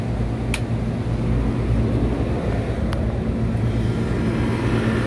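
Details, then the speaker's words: Walk-in cooler reciprocating (piston) compressor running after leak check and packing work: a steady, even low hum with no knocking or rattle. Sight glass flashing; normal running. "Running. Remember, this is a reciprocating compressor, piston driven, so it doesn't matter which way it goes. So we don't gotta worry about rotation."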